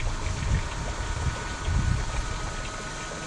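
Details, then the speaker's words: Narrowboat float-switch bilge pump on separate battery, float lifted with mooring pin: low churning hum with water gurgling, steady; running normally clearing bilge water, low power consumption. "the battery for this pump seems to last for months and months and months that only kicks in as and when the war gets to a certain level um so it doesn't use much power because it's not on much but also because when it is on it's very low power consumption"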